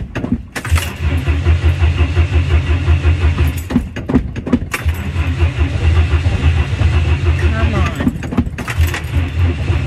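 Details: A temperamental 1959 Ford Consul that is almost always hard to start, cranked with heavy pedal pumping. Repeated bursts of steady starter cranking with pauses, turning freely but not firing: hard starting with long cranking.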